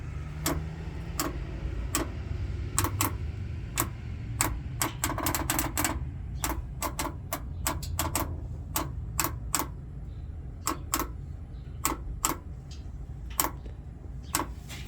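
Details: 2020 GMC Sierra 5.3 with 8-speed: sharp irregular clicks, several a second, ticking over low engine hum; clicking noise, cause not yet known.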